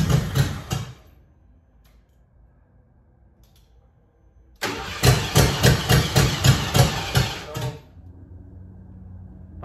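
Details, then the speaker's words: Abe, unstarted for years: two bursts of steady starter cranking that never catch; crank no start from fuel starvation, a gallon and a half of gas too little for the pump to pick up and return. "a gallon and a half wasn't enough to have the pump pick it up and return it."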